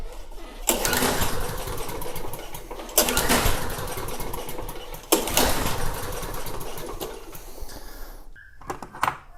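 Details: Snapper mower with leaking fuel tank, fuel dumped into carburetor: catches in rough surging bursts, sputters on primed fuel then cuts out; carburetor suspected, not confirmed.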